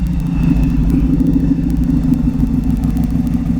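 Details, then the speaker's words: 1933 Ford pickup hot rod, crate 350 Chevrolet V8 with BDS 6-71 blower, twin Holley 600 carbs, Voodoo cam, MSD ignition: deep steady rumble with faint supercharger whine as throttle blips; normal idle and revs, nicely tuned. "Now, another thing I will say is, despite this enormous motor, and listen to that beautiful supercharger whine. God, that's fantastic. This thing is in such a nice state of tune."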